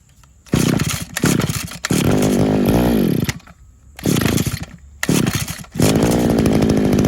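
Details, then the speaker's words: RedMax edger, used unit being repaired, run on non-ethanol gas with Sea Foam: short revving bursts that bog and die within seconds, repeatedly. Suspected clogged carburetor jet, not confirmed. "you got to get a good amount in there like i said you when you put a lot in there it kills it but you have to keep getting it to suck through there and hopefully if there is a clogged jet it'll it'll clean it out"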